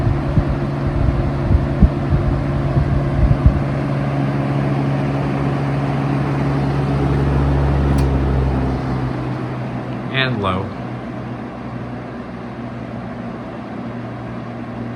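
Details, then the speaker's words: 1971 Kel-Aire model 7000 20-inch three-speed box fan, on low, still fairly fast and not whisper quiet: steady even hum with low blade whoosh, no ticking or rubbing; slight shake, normal running. "So, it's still pretty fast on low. It's not exactly a whisper quiet fan."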